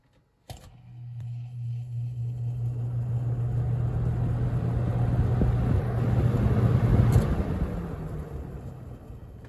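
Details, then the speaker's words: Holmes HABF-20 box fan (Feb 1997), seller's note said "hums". Startup on medium: a steady low hum and an airflow rush building smoothly with no rattle or ticking. Healthy. "There's medium."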